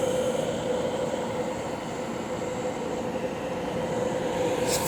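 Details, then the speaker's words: De'Longhi Pinguino portable air conditioner PAC AN370G1W on full blast, near the rear blowing hot air: steady fan rush with constant, even mid-pitched hum; running normally. "That's kicking up some hot air on the back. Look at all that."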